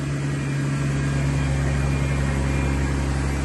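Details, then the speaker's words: 2003 Chevy Trailblazer LTZ 4.2 I6, after rusted fuel pump replacement: steady, even low hum at idle with constant tone, no misses, knocks or surging; exhaust smells bad; normal idle. "So yeah, I went and filled up that can, and yes, I spilled it. I dropped the whole can, hit the floor, but it's running."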